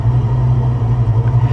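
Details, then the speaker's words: 1994 Ford Mustang GT with a supercharged 347 stroker (Powerdyne), warm idle. Deep, steady rumble with an even pulse. It hunts when cold, but warm the idle is solid and the earlier belt squeal is gone. "once it warms up man the idle's solid you guys take a look at that idle is solid all the gauges are great the belt squeals gone away"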